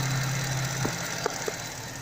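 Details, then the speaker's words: Engine idling after spraying silicone grease on a squealing alternator/accessory belt: even idle with a low hum that fades early, no chirp or squeal; belt drive now quiet. "я покажу как обычной смазкой силиконовые устранить данные неприятные звуки вот здесь куда сохранить вот всё прекратилось"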